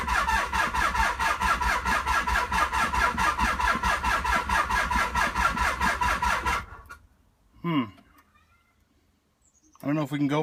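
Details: 1995 Nissan 300ZX, long unused after a crash, cranked through two sets of jumper cables: fast, even cranking at about two turns a second that never catches, then silence.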